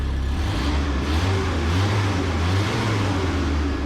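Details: Mini U-Haul truck, after trimming the fan shroud and tightening it: engine revs and holds cleanly with no ticking or scraping from the fan, which spins freely; exhaust sounds loud and needs work.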